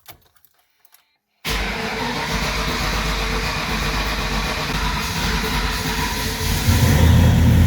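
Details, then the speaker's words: 1995 Ford Mustang, very first start after swapping in a C4 3-speed automatic, in park with shifter cover off, Holley: starter catches within a second and engine settles into a steady, even run; clean first start. "This is the very first start. Hopefully the battery's not dead."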